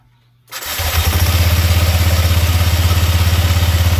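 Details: Scooter after clutch bell replacement (grooved/regrooved bell) and cover bolts refitted, test start: fires in half a second, settles to a steady, even low thump about three beats per second; normal smooth idle.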